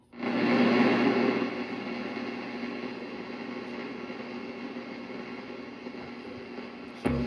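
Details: GE 7-4550D analog AM/FM clock radio on FM, after contact cleaner cured earlier volume-control noise: steady, clean sound with no crackle or scratching, level even; playing normally.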